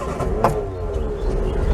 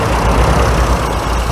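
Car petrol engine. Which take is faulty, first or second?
first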